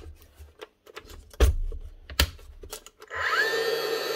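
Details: Dewalt DCN660 second-fix angled cordless nail gun from 2021, test fire: a few dry clicks on the trigger, then the motor whirs up steadily but no nail is driven; motor starts so not the switch, yet it does not fire.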